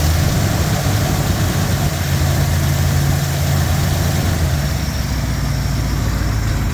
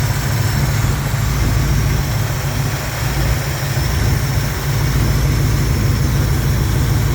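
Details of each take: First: Jeep J10 engine at idle after exhaust repair: deep, even idle with steady low throb, no ticking, exhaust leaks fixed; suction noise is from the intake; engine still vibrates, less when warm or with slightly higher idle. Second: Jeep J10 idling after fixing a missing PCV valve that had stopped it idling: heavy low drone with an uneven, loping pulse and strong engine shake, less vibration at higher idle. No exhaust leaks or ticking remain, and suction noise comes from the intake. Rough idle vibration, cause not yet found.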